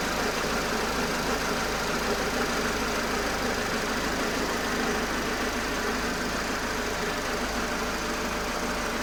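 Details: TUJP4 NFU engine at steady idle with a faint, loose ticking clatter about three per second; unusual engine noise, cause not identified.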